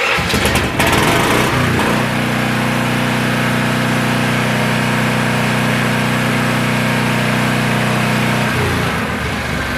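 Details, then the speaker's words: Vulcan Outlaw 195 welder/generator after muffler repair (new exhaust gasket, rear support fixed, threadlocker on manifold bolts): catches into an even steady drone, much quieter, no rattle or buzzing; normal running. "wow so I know it's hard to tell off this video but uh it is running so much quieter"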